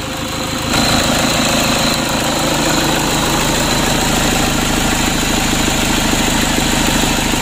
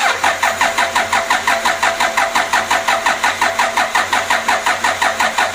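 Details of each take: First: Rebuilt Toyota Innova 2KD diesel running after reassembly, with remaining faults not yet scanned. Even diesel clatter at a steady idle with no misses or stray knocks. Normal diesel idle. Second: Toyota Innova 2KD diesel on its first start attempt after engine rebuild, coolant filled and fuel primed. Even starter chug, about three compressions a second for nearly six seconds, with no firing; cranks without starting.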